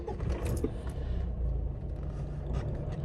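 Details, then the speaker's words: Mitsubishi Triton diesel with hard morning starting, fuel cut, temperature gauge dropping out and code P0118: lumpy, uneven clatter just after cold start, revs rising and sagging, some smoke; faulty coolant temperature sensor upsetting fuelling. "طبعا الضوجان غير طبيعي يا حبايبي لاحظ ان السياره شبه داعسه يعني اذا هذا ضوجانها غير طبيعي بالاضافه الى خروج بعض الدخان"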